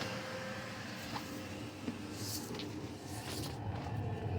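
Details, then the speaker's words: Lavaner Pro Max 2 kW Chinese diesel air heater in a Sprinter camper van under passenger seat running with a soft steady low rumble and whoosh through its exhaust muffler, quiet; fuel pump inaudible inside; normal running. "with the muffler it's quite [Music] quiet"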